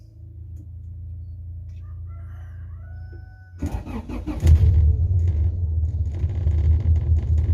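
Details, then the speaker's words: Honda Civic Genio petrol engine warmed up, idling without throttle at about 400–500 rpm, low and lumpy with a helicopter- or diesel-like uneven chuffing; misfire, owner suspects a dead spark plug. "coba dengar sendiri kan suaranya kayak kayak helikopter ya ya Ini dia herbalnya nih saya bener-bener nggak injak gas ya nyerpen rpm nya sekitar 400-500 and doang nih"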